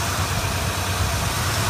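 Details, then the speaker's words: 455 V8 wagon after the header exhaust leak was sealed, new spark plugs fitted, the carburetor tuned and the kickdown cable made to work. Even, steady idle with a smooth low rumble and no misses, ticks or puffs; normal idle. "this is how it idles now that it has the header exhaust leak sealed up. New spark plugs, tuned carburetor, a working kickdown cable, and it has now been shiny. So much cleaner. Not perfect, just better."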